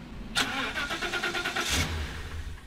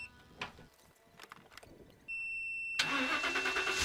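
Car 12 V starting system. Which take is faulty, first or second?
first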